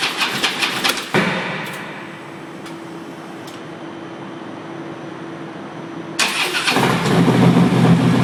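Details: 2013 Harley-Davidson Road Glide with a fully charged battery: it randomly cranks fast and evenly without firing on the first try, then always starts on the second and settles into a lumpy idle. Intermittent crank, no start.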